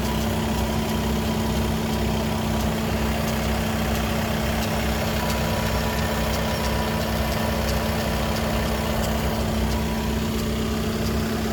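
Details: Hot/normal-temperature idle on a Skoda Octavia 3 (5E) RS 2.0 TDI with DSG: steady diesel hum with faint intermittent rattle coming from the DSG gearbox; abnormal gearbox noise, official Skoda workshop could not determine the cause.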